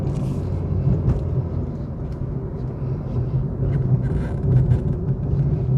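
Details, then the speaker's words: 2021 Suzuki Swift 1.2 GL Plus petrol at idle: low, soft, even hum, barely audible, no knocking or shaking; smooth normal idle. "สวยถึงล้านแล้วหูนิ่มมากแทบไม่ได้ยินเสียงรถเลยนะโอเครื่องเดินเรียบไม่เขกไม่สั่นนะ"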